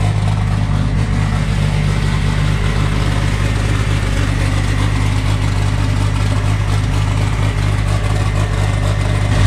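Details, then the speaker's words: Freshly assembled ~500 hp 2.3 turbo four-cylinder, first run on a mix of 87 and Q16 fuel, good oil pressure: deep, steady, even idle with no knocks, ticks or misses; normal idle, only a coolant fitting leak noted. "it's got oil pressure still it runs pretty smooth"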